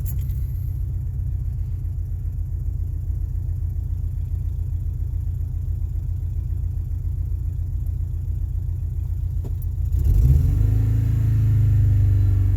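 Deep uneven thumping at idle right after start, pulses stumbling about twice a second instead of smoothing out; a rough cold idle.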